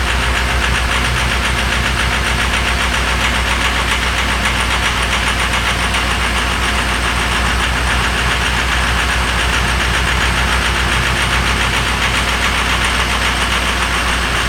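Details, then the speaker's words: Diesel on a cold start: loud, rough clatter at roughly four knocks a second over a heavy rumble; owner suspects it may need glow plugs. "Damn thing sounds like two hammers and a dryer."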